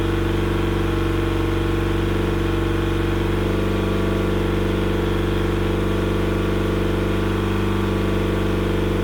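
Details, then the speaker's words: Yamaha pontoon outboard on a water flush after opening the fuel tank vent during spring carburetor cleaning: steady, even four-stroke idle with a smooth low rumble and no misses over a long run; whatever caused the trouble has cleared. "well whatever was giving it a hard time appears to have passed through the system I let it run for a good amount of time there and it didn't seem to miss it to beat"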